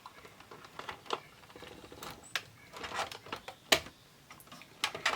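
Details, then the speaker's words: Sony SLV-676UC VHS VCR with a stuck tape: scattered light plastic clicks and brief mechanism chatter come in bursts as it tries but never completes a cycle, so it won't eject the tape. "Nope, she just does not want to eject. See, it's trying. Yeah, it's trying."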